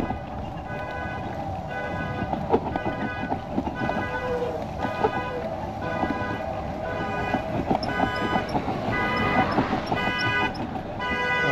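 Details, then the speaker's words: Recorded with a trailer by a busy road in the rain: repeating electronic tone bursts, about three a second, over traffic and rain, thought to be a car alarm in the next-door parking lot. Car alarm sounding. "In the parking lot next door, I think the car alarm went off."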